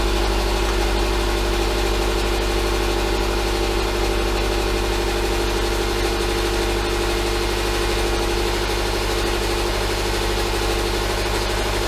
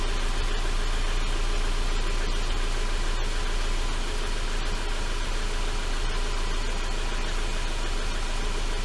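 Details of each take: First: 2011 Subaru Impreza at first start after rebuilding from rod bearing failure: EJ253 non-AVLS block with AVLS heads, no ECU codes. Steady, even idle with a smooth low rumble and no knock, plus a slight exhaust shield rattle that quiets down. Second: 2011 Subaru Impreza, EJ253 non-AVLS block with AVLS heads, first start after rod bearing failure repair: steady low idle with faint irregular metallic ticks, loose front exhaust heat shield rattling after being jarred.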